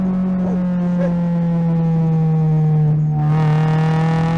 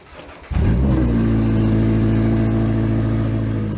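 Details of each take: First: 2025 Toyota GR86 with HKS Hi-Power single exit exhaust and JDL front pipe and overpipe, after fixing the leak: clean, rising exhaust note with low-end rumble pulling smoothly at wide open throttle, no puffing or ticking; normal exhaust. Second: 2025 Toyota GR86 during JDL front pipe and overpipe install, exhaust disconnected at the headers: the engine catches and settles into a very loud, raw, unmuffled buzzing idle, like open headers. Open exhaust at headers.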